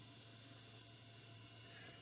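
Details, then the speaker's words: Car audio amplifier: faint, steady high whine over a low hum from the speakers, worst while the amp is still cold; about half as loud once warmed up. "You should now hear the whine the amplifier makes, it's now worst when amp is still cold"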